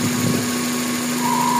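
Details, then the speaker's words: GLI car engine at idle: a thin whistle around 1 kHz starts partway through, a vacuum whistle from a faulty crankcase PCV valve; noise disappears when a part is removed. "Ayan, may naririnig. Kaya nahanapin natin kung saan galing yan. Kasi pag tinanggal ko to, mawawala yung ingay na yun."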